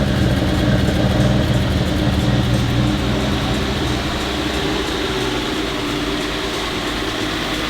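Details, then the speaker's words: Engine with mechanical (solid) lifters at steady idle, light fast ticking clatter over the exhaust note; normal solid-lifter valve noise, could be quieted by readjusting the rockers. "you can hear with mechanical mixers and lockers we can make it a lot quieter all that to do is remove the valve cover and readjust all the lockers"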